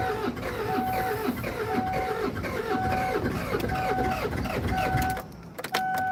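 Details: Kia Sedona diesel, after bleeding injector lines and priming the hand pump: steady starter cranking with a whine pulsing about once a second, nearly catching but not firing; air in fuel lines.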